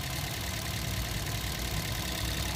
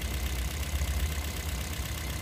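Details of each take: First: Toyota Vios 2nd gen petrol engine idling steadily at about 700 rpm with no skips, after replacing one of four ignition coils that had no spark and caused misfire and strong vibration. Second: Toyota Vios 2nd-gen petrol engine idling uneven and lumpy with strong vibration; fourth ignition coil gives no spark while the others spark, so one cylinder misfires from a dead ignition coil.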